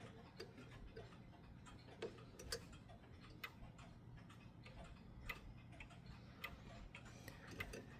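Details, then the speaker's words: Mechanical pendulum clock deliberately set out of beat by moving the crutch via the pendulum: ticks land at uneven gaps, alternating short and long instead of an even tick-tock. "I'll set the clock out of beat. Hear that? It's out of beat."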